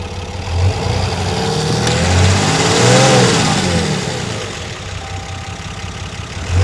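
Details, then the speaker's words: 2019 Ram with freshly built 6.7L Cummins replacing a seized engine, flat-tappet conversion, new S&S injectors, Banks intake: diesel rises smoothly under a rev and settles evenly, no knocks or rattles; healthy engine. ">> Yeah. That sounds really nice."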